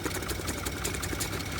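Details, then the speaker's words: Porsche Cayenne 2.9/3.0 L engine, about 53,000 miles, no engine light, idling: quick light mechanical ticking, sharper than normal injector noise, heard from side without high pressure fuel pump; rocker arm ticking suspected, arm probably not yet fallen in. "this is start becoming like a mechanical noise so option number one I don't think the rocker arm already fell into the engine somewhere because we wouldn't have that noise"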